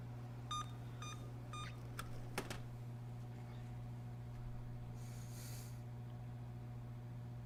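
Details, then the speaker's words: Emerson Elite SX386 386SX PC with newly bought Siemens SIMMs, after clearing CMOS by removing the battery: three short power-on beeps, then faint clicks over a hum, believed to be the memory error code again. "yeah that that's i'm pretty sure that's the memory beep"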